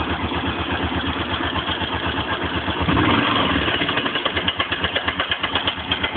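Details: Suzuki DR 750 single-cylinder, cold idle: sharp regular tapping from the top end about three per second over uneven thump; knock quietens and disappears once warmed up.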